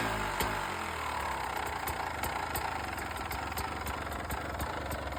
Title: Beta 300 RR 2015 rattling noise #beta #beta300rr #2stroke